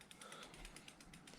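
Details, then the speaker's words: Samebike L026 version 2 e-bike, newly upgraded disc brakes, after tightening caliper bolt and spinning wheel again. Quick light ratchet clicks as wheel coasts, no scraping: caliper clear, normal freewheel clicking with no brake rub. "i'm going to tighten that bolt up spin the wheel again don't hear any rub okay so now that's where i want it to be"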